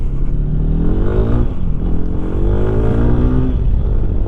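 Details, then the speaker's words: Lifan KPX 250 single-cylinder motorcycle, previously lean (white plug) with a cold-start stumble, after a foam-insert fix, fairly warm, ridden at full throttle: it pulls cleanly through the gears, note rising evenly with no hesitation. "And as you could hear, there's no hesitation at all in it."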